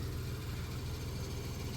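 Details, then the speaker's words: 1991 Dodge Grand Caravan 3.3 V6, abandoned 21+ years and leaking transmission fluid: a low, even, quiet idle. The earlier grinding is almost gone as it self-clearances, and the muffler is still good. "But but the uh grindiness is almost gone. Motor's nice and quiet. This motor is quiet."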